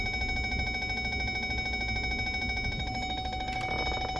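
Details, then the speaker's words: Ford F-150 reversing: quick, even run of thin ringing parking sensor chimes that sound feeble, with weak collision warnings; battery voltage sagging as electronics conserve power. "it doesn't sound right it sounds weak also at first I'm like hey something's going on here"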